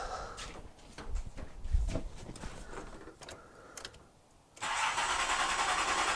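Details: Nissan Z31 after swapping crossed spark plug wires on cylinders four and six: uneven cranking for about four and a half seconds before catching into a busy, hissy idle; hard start, cause unclear.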